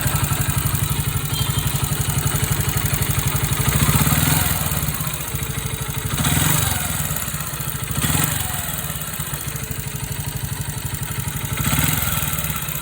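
Idle chuffs along at a steady beat but swells up every few seconds with a clattery surge; something is off, cause unclear.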